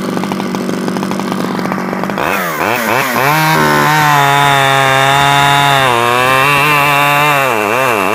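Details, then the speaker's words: Stihl 011AV chainsaw after a carburetor rebuild and after the spark plug coil wire was taken apart and refitted; it runs better. Revs rise and fall smoothly without stumbling: normal running. "I took it off and took it apart and put it back on and it seems to run better so"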